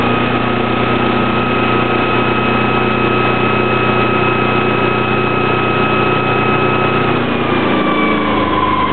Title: sailboat engine whine noise